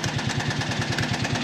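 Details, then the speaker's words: Project buggy single-cylinder engine idling while warming up, fans running: runs well now but sharp regular clacks about nine a second ride over the idle, a recurring clacking; cause still unknown. "jetzt läuft auch gut aber ich hö jetzt schon wieder dieses klacken da kommen wir aber gleich zu weil meine Stimme verschwindet langsam wieder"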